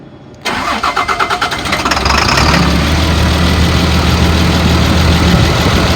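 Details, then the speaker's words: 2003 Blue Bird All American 72-passenger school bus, started for a second or two despite a heavy oil leak from the bottom: short crank, catches at once, steady even idle with no knocks or misses; normal start and idle. "i did want you to hear that the bus starts the motor sounds good started right up"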